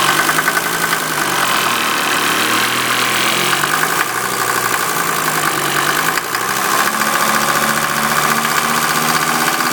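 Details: 1988 Mercedes 190D diesel on waste vegetable oil at steady idle, a hard rattling clanging louder than normal diesel knock. It also has heavy tailpipe smoke and diesel fumes in the cabin; owner unsure if normal, cause not identified.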